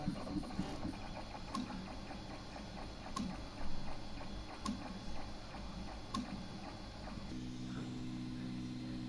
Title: The printer makes a ticking noise but doesn't print anything.